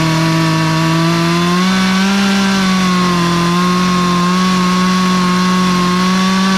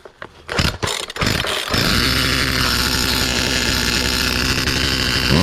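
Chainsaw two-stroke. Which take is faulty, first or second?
second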